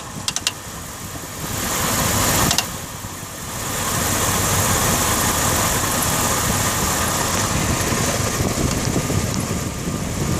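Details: Dodge Ram 1500 idling with a rough, uneven patter from the front of the engine, apparently from behind the harmonic balancer. The timing chain is suspected but the cause is not confirmed.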